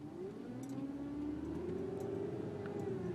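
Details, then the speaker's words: 2007 BMW 328i: loud steady whine around 300 Hz, drifting slightly higher over low engine and road rumble while off the gas, easing somewhat when accelerating. Turn signal also clicking. Whining noise, cause unknown. "it's kind of like a whining and a chick-fil-a right now it's like blaring it's my blinker but still you can hear that i mean it's loud as crap"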